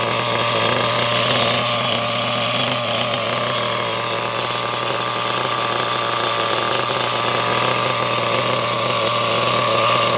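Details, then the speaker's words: Used HPI Nitro Trophy buggy nitro engine after the idle screw was turned in: a high, buzzy, steady drone holding one pitch for ten seconds without stumbling. It runs cleanly, possibly idling slightly high. "Seems to run quite well, I reckon."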